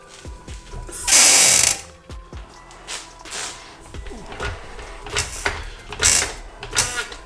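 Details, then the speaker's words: BMW E90/E91 on jack stands, suspension worked with a hydraulic jack: harsh high rubbery squeaks from the dry lower control arm bushing between spindle and control arm; fixed by spraying lubricant into the bushing. "so this bushing between the spindle and the lower control arm makes that horrible noise"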